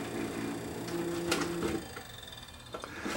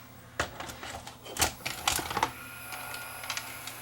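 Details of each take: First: Panasonic PVS7670 S-VHS VCR, head drum spinning: thin wavering hum with scraping ticks, like something rubbing on the head drum; drum suspected shot, rubbing fault. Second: Panasonic PV-S7670 S-VHS VCR with several problems, powered up again after work on it. A burst of mechanical clicks and clunks, then the tape mechanism settles into a smooth, quiet, steady run, quieter than before.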